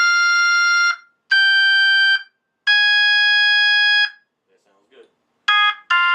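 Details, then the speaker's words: Vintage Leslie V21 upper driver played through a Hammond organ at low then cranked to high volume: clean, steady sustained notes with no buzz or rattle; driver sounds fantastic and healthy. "you should not get any buzzing clear like this that sounds good that's good that's good clean v21 that sounds fantastic"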